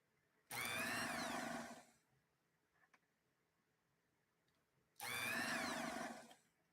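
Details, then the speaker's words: Vintage sewing machine motor whirs up with a falling whine and keeps coasting for several revolutions after power is removed from the foot controller; motor runs on when it should stop. "it's not it's not supposed to continue to run this one continues to run for a number of revolutions after you take the power source away"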